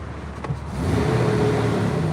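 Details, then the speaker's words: 2003 Jeep Wrangler 4.0L, about 72,793 miles, steady low idle with even hum and no knocks, ticks or squeals; sounds good. "sounds good under the hood okay so this is all good stuff we even put a full tank of gas"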